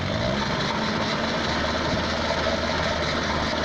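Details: Peugeot pedal moped two-stroke, laid up since 1997, restarted: quiet, even idle, no hunting or dying; runs properly.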